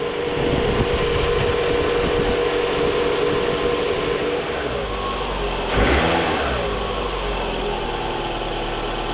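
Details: 2014 Scion xB, 102,000 miles, just after replacing coil packs and spark plugs: starts right up into a steady, even idle with one short blip mid-clip, no misfire stumble, settling smoothly; engine still cold.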